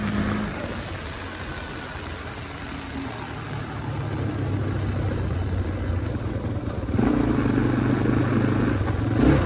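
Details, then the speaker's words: 2005 Can-Am DS650 big-bore quad fitted with a restricted muffler: single-cylinder thump pulls up cleanly and evenly through the revs, no knocks or misses, slightly muffled; runs pretty good with good bite though less powerful than expected; normal running. "all right this thing runs pretty good uh it's not as powerful as I thought it would be but then again you it does have this restricted muffler on it"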